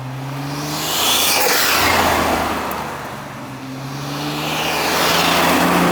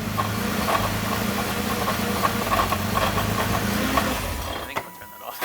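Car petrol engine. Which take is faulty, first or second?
second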